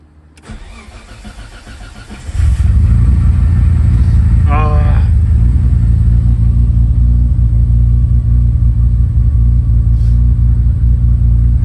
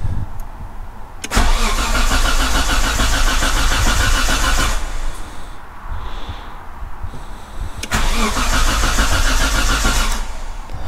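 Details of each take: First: Nissan GTR after a quick repair with some bypassing: brief cranking, then it catches cleanly and settles into an even, steady idle with no stumble or misfire, and the fuel pump is still audibly priming; it starts better than it has in a while. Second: Nissan GTR after breakdown at race day with power loss: starter cranks steadily at about four beats a second but never catches; no oil pressure shown, owner suspects fuel pump.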